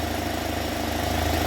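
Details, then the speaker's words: UAZ Patriot engine after rebuild, warmed to operating temperature with the fan cycling, restarted at idle: steady, quiet, even idle with smooth low hum, no knocking or ticking; oil pressure gauge connected, engine healthy. "давай заводи моторчик работает тихо ровно"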